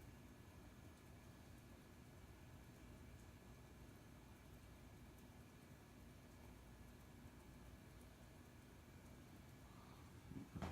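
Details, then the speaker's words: April 1985 Casablanca Zephyr 52-inch Inteli-Touch ceiling fan running after its loose flywheel was tightened on the motor shaft with an Allen key. It gives a steady, even low hum with a faint constant tone and no knocks or rubbing. It runs normally. "It turns out that it was loose and drooping down on the motor shaft. So I was able to get an Allen key and fix that. And now it runs perfectly."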